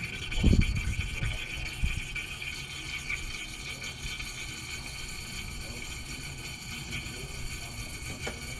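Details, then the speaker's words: Ford 6.0 Powerstroke crank no start, P2291, air check tool pressurizing high-pressure oil system: after a few clunks a steady hiss of escaping air, steam on passenger side, pressure dropping near zero; large leak. "go I believe we've got a leak on the passenger side you see the steam coming out and then you can cover and and if we close off air we're losing pressure significantly this is a fairly large leak and we're almost down to zero"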